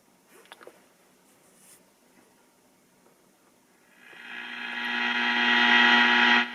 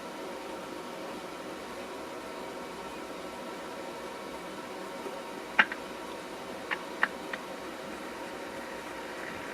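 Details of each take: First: Philco 48-250 tube radio after recap, powered via isolation transformer and variac, outside cabinet: near silence, then hiss with low hum swells and holds after switch-on; untuned, picking up heavy static and interference. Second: Recapped Philco 48-250 radio warming up on variac at about 90 volts, no stations: faint even static hiss with few soft clicks; current low, sounds healthy.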